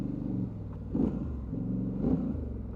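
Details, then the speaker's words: 2019 Polaris Sportsman 1000 XP parallel twin, warm at 201–203°F with the fan on, in two-wheel drive performance mode after an overheating check: deep, lumpy V-twin-like rumble rising smoothly with throttle, no knocks or misses; healthy engine under acceleration. "Love the sound of these things. They sound like a V-twin."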